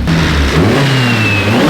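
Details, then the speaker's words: Nissan S14 freshly swapped to a KA engine, on its first test drive. Pulls cleanly through a short rev with a steady exhaust note and smoothly rising pitch, no knocks or misses; described as sounding really good and right. Healthy engine under acceleration. "Definitely a KA. It sounds really good. It sounds right."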